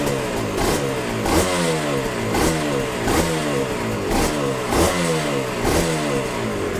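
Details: Yamaha TZR 250 3XV 1990s twin two-stroke, first start after wreck-to-runner rebuild, in neutral: crisp steady rev blips, even and clean with no knock, smooth idle, some smoke; healthy, normal running.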